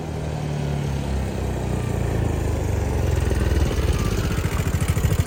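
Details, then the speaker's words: 13-year-old Gen 1 CFMOTO side-by-side, test drive after welding the broken rear diff mount: engine pulls, then irregular popping, banging and clanging under load; stuck in four-wheel diff lock despite indicating out. "It's stuck in four-wheel diff lock. It says it's out, but it's not. It's stuck. I hear it popping and banging and clanging and popping some more."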